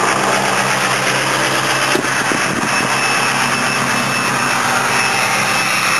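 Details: Ford 6.0 PowerStroke diesel truck that sits through winter, cold start: raised even idle with steady turbo whistle, no knocks or misses; normal cold-start high idle.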